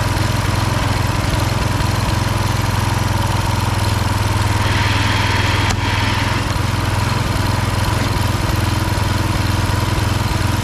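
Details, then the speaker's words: Husqvarna HU 625HWT four-stroke string trimmer that wouldn't run, after repairs and oil change, burning oil off the muffler: steady, even putter about three firings a second without misses; running healthy. "This is burning oil off the muffler. Bring her outside, see how it works. Running nice."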